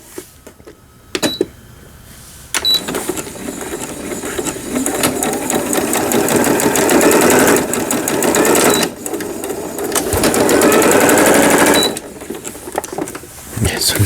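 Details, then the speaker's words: Riccar Quilt Mate sewing machine after repair, with upper and lower thread tension adjusted: even, fast needle chatter rising and stopping with sewing bursts, no knocking or grinding; no longer noisy, sewing normally. "Ya no hace ruido y puedo coser."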